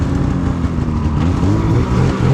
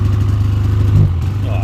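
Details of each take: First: 2016 Polaris Indy 600 SP snowmobile after plugged fuel filter fix and new Ultimax belt, grass dragging on mud with no snow in warm weather: note climbs and holds high under hard load with brief dips, hitting needed rpm; healthy full-throttle pull. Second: 2016 Polaris Indy 600 SP two-stroke snowmobile at first start before repair: uneven popping, lumpy beat, sounding like only one cylinder running; suspected fouled spark plug, plugs and compression to be checked.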